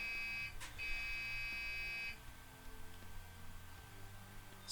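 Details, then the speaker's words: Dell Dimension PC running Windows XP at power-on; two long high-pitched beeps over faint fan hiss, then no boot; the hard drive also sounds unhappy, and a stuck-in USB stick is suspected. POST beep code, cause unknown. "so we've got some beeping so we've definitely got power going to it"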